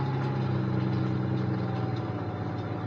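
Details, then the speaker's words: Salvage-auction semi truck: steady, even low idle, no knocks or misses; runs very well, no warning lights except headlight error from smashed headlights. "now let's see if this thing will run of course it will not only does it run it runs very well"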